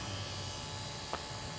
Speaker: I'm just running a cheap little fuel pump I got from autozone I think it's a number 12s pump probably only produces about 2 to 5 psi of field pressure and it's enough just to keep the fuel bowl filled while it's running